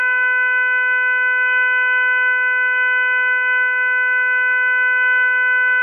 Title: strange noise from tap